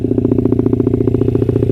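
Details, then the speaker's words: Honda CRF50 after carburetor work: a quick, even single-cylinder idle with no stumbles, which the owner calls all right. It breaks up at high revs, and the owner is unsure whether the main jet needs more or less fuel. "Now let's see what idle's like. Not bad. Not bad at all. It idles all right."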